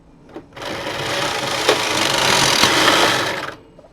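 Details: Brother electronic knitting machine (Knitking Computknit III) with pattern 901 from a floppy drive, carriage on KC: a three-second rushing slide with light rapid clicking as the carriage crosses the bed; needle selection sounds smooth and normal.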